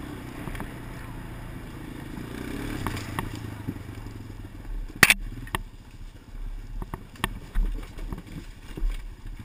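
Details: Clicks from a GoPro Motorsport edition camera mounted on a helmet while riding a motorcycle: sharp irregular clicks at random intervals over the riding noise, from the camera itself; cause unknown.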